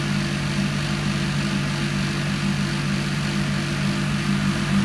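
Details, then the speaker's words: Indesit ISDP 429 Autopump spin dryer, made by Hajdu in Hungary: steady, even motor hum with a low drum rumble and no knocks or rubbing, called quite a good sound; the spin dryer is running smoothly and healthy. "quite a good sound to it really"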